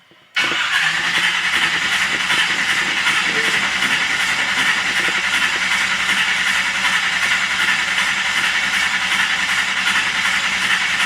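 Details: 1978 Chevy 305 small block, cold, fuel pump relay pulled, cranked in neutral to prime new oil pump and pre-filled oil filter; sustained even cranking whir with steady pulsing over ten seconds, no grinding; normal starter cranking.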